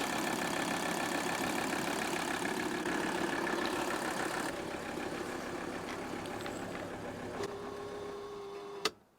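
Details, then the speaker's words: Old Mercedes 300D turbo diesel after replacing engine mounts and air filter housing mounts: clatter fades steadily as engine winds down and stops with one soft thud, no more clunking on shutdown. Smooth engine shutdown. "look at how it stops with authority and no more clunking"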